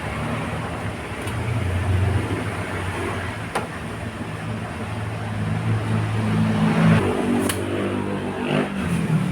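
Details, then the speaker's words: Rusi Gala 125cc scooter, hard starting, after needle returned from number 2 to stock number 6: catches on one press and settles into steady low idle, picking up smoothly on throttle; starting healthy again. "Tapos bumalik na ulit sa dati number six na mas mabilis nga siya isang click lang start na siya agad"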